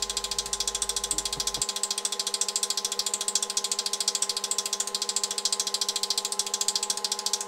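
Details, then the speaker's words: Lathe at full power with sandpaper flapping in the chuck, recorded on a smartphone before a speed-control test: a steady high motor hum with crisp, even ticking about three times a second; normal running. "The lathe is running and the sandpaper is flapping on here."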